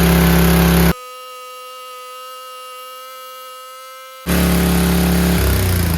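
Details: Powerback 5000 W gas generator with a Tecumseh engine, after fitting a replacement Hipa carburetor (rated for 5 hp, undersized) plus new fuel lines, filter and petcock. It runs with a steady, even low drone, no hunting or surging: normal running.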